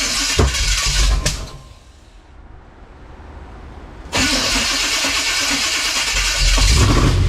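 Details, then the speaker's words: Old 1956 Chevy with high-stall converter, first start after brake work and timing set; loud, lumpy idle with an uneven beat, sounds like a miss. Cause not confirmed. "while she runs uh sounds like it's got a miss for sure so that's a bit of a concern"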